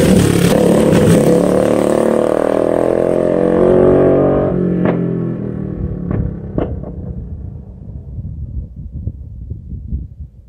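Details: Bike with an aftermarket pipe making a loud pass by the camera in a canyon. The sound fades, then sharp irregular .22-gunshot-like cracks and pops come off throttle. Exhaust backfire on deceleration, which the rider blames on the baffle.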